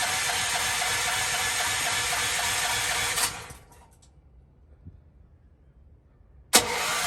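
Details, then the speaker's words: Propane generator, first start since the new tank and line were fitted, tested ahead of cold weather: three seconds of steady pull-start cranking, silence, then more cranking with no catch. No gas pressure; the tank was empty. "Oh, what happened? I have no pressure here."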